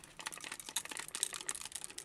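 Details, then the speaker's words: Memotech MTX500 computer with a faulty power supply, not yet opened: irregular light clicks and small rattles as the unit is shaken, something loose knocking around inside the power supply casing. "so I'm not going to do a tear down again but go straight to the power supply problem and I think you can hear it something is loose"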